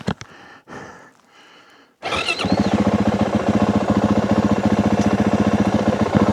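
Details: 2025 Yamaha WR450F single-cylinder dirt bike on a trail ride, chest-mounted camera: motor thumps at a steady laboured beat, never picking up revs, bogging and struggling for power.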